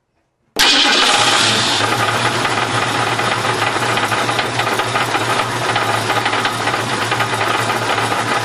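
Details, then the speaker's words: 1968 Mustang fastback with motor trouble: engine fires up into steady, rough idle with a loose, irregular clatter over it, owner fears it is bad; engine knocking noise, source unclear. "hi I'm tool winch and this is my Mustang 1968 fastb and it's uh got some motor trouble right now and I just want to I want to capture it on film so that I can refer to it later"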